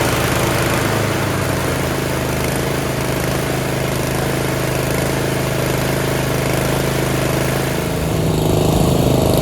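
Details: Yard Machines 13.5 HP Tecumseh 38" riding mower, after fixing slow cranking: steady, even single-cylinder thump, no misses or knocks, constant speed; running healthy.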